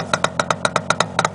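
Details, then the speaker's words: 1967 Yamaha YR1 350 Grand Prix two-stroke, cold start around 25 degrees with choke: crisp regular popping about eight beats a second, no knock or excessive piston slap; normal idle. "motorcycles nice no excessive piston slap that's working that's my experience with these videos and motor always sounds noisier than it does but this sounds pretty dang nice for a two-stroke"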